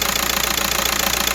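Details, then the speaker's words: 2010 VW Caddy van, 1.9 TDI, after glow plug replacement cured its hard cold starting: a steady, even diesel idle with no stumble or hunting. The engine sounds healthy. "did start nicely without any hesitation."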